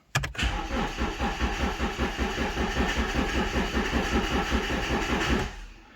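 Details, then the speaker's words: High-mileage BMW 1 Series four-door 1.8 diesel, just bought unseen: the starter turns over slowly in labored pulses for five seconds and never fires. Battery measures about 11 volts; weak battery, no start. "okay let's check the voltage once again because it's turning slow oh yeah 11 poi"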